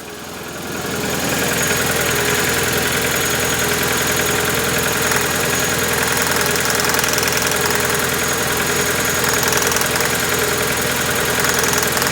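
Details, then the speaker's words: Warm Proton Wira four-cylinder after plug-lead repair, fresh fuel and new injectors, idling with an uneven, lumpy beat and irregular stumble under a rattly top end, puffing black smoke; one cylinder still misfiring, cause unknown (leads or injector suspected). "Still missing. Oh, that kicked out some black fumes. Terrible."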